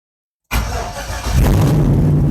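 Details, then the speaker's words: Tahoe cold start, coolant temp sensor at 38: silence, then fires at once and settles into a loud, deep, steady idle running pretty high; normal cold start with no stumbling. "How are we doing here? Idling pretty high. That's loud. Like, look at the coolant. There's a coolant temp sensor is at 38. So, like, it's cold, guys. So, but fired up, no problem."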